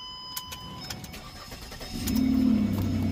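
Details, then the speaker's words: 2008/2009 Ford Escape starting: engine cranks and catches into a loud, blatty low rumble from a big hole in the muffler, before muffler replacement; exhaust leak. "Our problem here is this muffler's got a hole in it. Big gaping hole there. So that's where all the noise is coming from."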